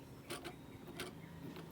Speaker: Ayan ung yan lakas ng tunog aan na yung ano nito busing malaki ng pudpod nito